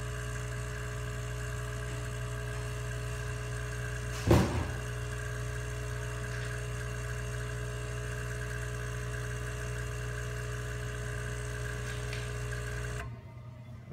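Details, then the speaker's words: Bezzera Strega espresso machine under repair test, heating back up: steady even low hum, faint tone and one brief clunk, steam expected from the vacuum breaker; normal heating. "if you can hear this you can hear the Machine beating up and we'll see steam coming out of the vacuum breaker in the second"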